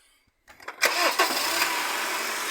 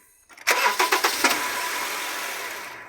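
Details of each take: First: Honda CR-V, owner complaint of a bang on starting: with a jack propping the transmission, the engine cranks briefly and catches cleanly into steady idle with no bang or clunk. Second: Honda CR-V with a bang on starting: sharp metal-on-metal clunks during the half-second of cranking, then the engine catches and settles; heard with the support block removed, worn transmission mount lets the engine knock on start.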